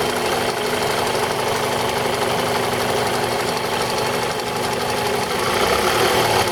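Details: 2002 Toyota RAV4 engine: fast, uneven metallic tapping about four per second throughout the idle; top-end engine knock, owner suspects the VVT-i coupling, unconfirmed.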